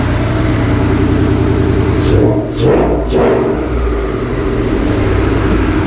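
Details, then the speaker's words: Rebuilt Ford Coyote V8 after a spun rod bearing, first start with new timing chains and no coolant yet: smooth even idle, no misses or ticking, about 80 lb oil pressure; healthy. "got about 80 lb oil pressure o she sounds good wasn't missing or anything so I got got the timing chains put in all right"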